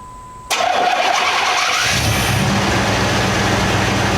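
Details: 1989 Chevy K5 Blazer (square body, throttle-body injected) with an intermittent crank-no-start, restarted after sitting an hour without the prime jumper: starter cranks briefly, engine catches at once and settles into a steady, even idle; starts and runs normally.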